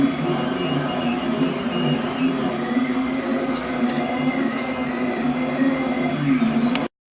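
Steady, even motor whir with a low, constant hum and no harsh high whine; the stepper drives sound smooth and normal.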